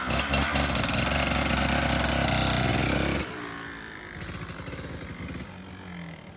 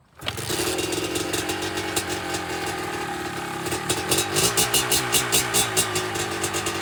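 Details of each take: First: Stock, used 2005 Kawasaki KDX 200 two-stroke, completely cold after sitting a day, kick-started before teardown: loud crackling revs then a steady ringing idle; starts and runs healthy. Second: 2005 Kawasaki KDX 200 two-stroke, first start on choke: catches and crackles, revving unevenly with sputtering blips; runs rough, owner thinks the fuel-air mixture needs adjusting.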